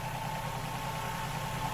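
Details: Ford Fiesta Duratec petrol engine running on 3 cylinders with loss of power: lumpy, uneven idle with a dull stumbling chuffing beat; misfire traced to a faulty spark plug ignition coil pack, replaced.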